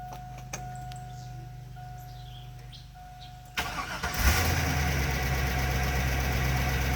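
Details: 2001 Chevrolet Silverado 2500 HD 6.0, cold start after sitting a couple of days: starter cranks, engine fires with a rough noisy patch for a few seconds before settling to idle; owner suspects slow oil pressure build-up, like just after an oil change.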